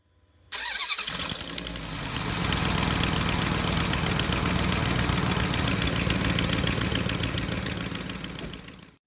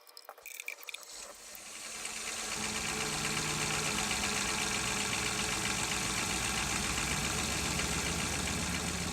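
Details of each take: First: 2006 Dodge Durango 4.7L V8, 2WD, cranking and idling with a sharp, regular ticking from an exhaust leak at the right exhaust manifold with broken bolts, before repair. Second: 2006 Dodge Durango 4.7L V8 2WD idling smoothly, with an even, steady exhaust note and no ticking or puffing; right exhaust manifold leak from broken bolts has been repaired.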